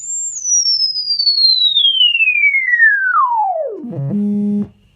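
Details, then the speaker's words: Celestion Ditton 33 10-inch bass driver after voice coil rub repair, test tone swept from high down to 20 Hz: pure tone, steady low hum, no scraping or buzz, cone moves freely; coil rub sorted. "And I know that that's salted out that coil rub. There's no way that speaker could jump up and down like that without that scraping sound being there."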